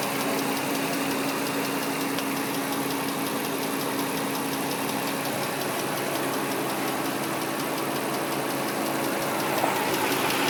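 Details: 2003 Nissan Murano V6 engine ticking that just started: quick light ticking several times a second over steady idle; new CVT fluid, recent power steering and brake fluid, Castrol synthetic oil still good, new air and cabin filters; source unknown.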